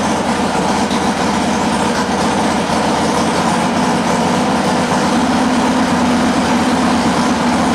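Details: Harley-Davidson Sportster idling during a charging-system check with a multimeter on the battery (12.99 V before start): a steady, even low rumble with no knocks or misses. Healthy idle; the charging output checks good.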